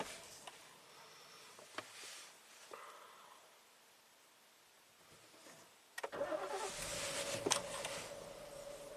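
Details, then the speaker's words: 2017 Ford Explorer V6, 106,000 miles, after intermittent misfire and surging idle (suspected sticky oil control solenoids): engine fires up and settles to dead smooth steady idle, no hunting or surging; seems fixed. "it's not doing the uh surging at all idle anymore at all like it was doing yesterday like it's dead smooth everything's R's perfect"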